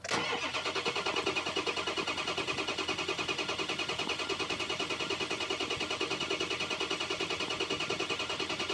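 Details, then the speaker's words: 2004 6.0 Powerstroke diesel, codes P2290/P2291; starter cranks steadily at about three beats a second but never fires, with sync and FICM power present but ICP under 400 psi (500 needed). Crank no start from failed high-pressure oil pump. "okay we had sink we had fium power with the maximum ICP that I saw build there was under 400"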